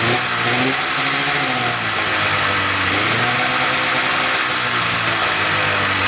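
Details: 1995 Polaris Indy 440 two-stroke snowmobile after carb cleaning, new fuel lines, fuel pump and carb boots: runs continuously with buzzy, crackly exhaust and small rev swells, no misfire breaks; running normally.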